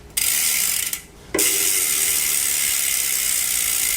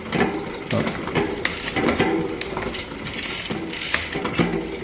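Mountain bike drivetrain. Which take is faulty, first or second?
second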